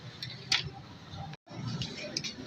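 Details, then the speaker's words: 1.5 kVA automatic voltage stabilizer with a kit that lacks a proper sensing transformer: sharp, irregular relay clicks over a low hum as it keeps switching taps, causing output voltage fluctuation; the suggested fix is a three-relay kit with a sensing transformer. "Hello guys यह 1.5 का stabiliser यह बहुत खतखाती खतखाती करता है आंख खतखाती करने से पूरा या अगर फ्रिज लगा के रखें तो फ्रिज में भी प्रॉब्लम ए जाएगा"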